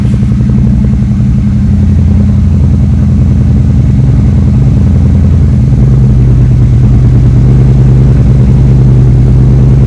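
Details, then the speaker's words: 3rd-gen Chevrolet Camaro Z28 carbureted V8 at idle, after spark plugs and plug wires were replaced to fix a dead cylinder: deep, even burble, every cylinder firing steadily with no miss or stumble; running healthy. "All right, that all confirms the spark plugs were the problem. After replacing the spark plugs and the plug wires, it runs like a champ."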